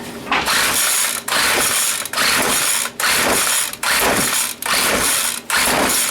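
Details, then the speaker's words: McCulloch weed trimmer, cold, spark confirmed, Champion plug, gasoline dribbled into the engine: repeated pull-cord ratcheting about one stroke a second with no firing or catch; cranks but will not start. "It's got potential. Well, I guess that's about it. Didn't really do it thing."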